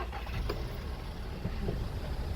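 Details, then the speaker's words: VW Touran, likely 2011, twincharged TSI petrol engine, just after cold start: low rumble with a light, irregular metallic rattle, also present while driving; engine light permanently on; mechanic suspects the timing chain. "really here rattle off the start and yes we have an engine light so that means we gotta do a diagnostic there's a nice thing on yes permanently illuminated got a bit of a rattle here"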